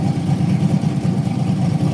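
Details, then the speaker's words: LS V8 with 6.0 Texas Speed heads, custom cam and air-to-water setup, idling after battery cable redo and new 220 amp alternator: choppy cam lope but steady even beat, running healthy. "she is looking good you're looking good sounds good yeah she's been happy man"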